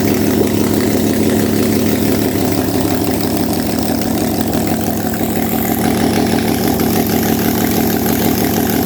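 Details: RB32 (3205cc) on a test fire with ARP625 rod bolts, Haltech map and timing adjusted, run to 82°C, compression 150 psi on all cylinders: a loud, steady idle with an even rapid beat and no misses, knocks or ticks. Healthy idle.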